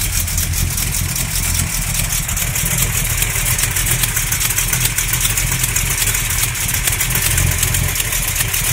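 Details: SBM 360 V8 with new lifters, main, cam and rod bearings, stock valvetrain, XE268H cam, KB107 pistons, at steady idle; faint regular knock over exhaust, not an exhaust leak, source unknown.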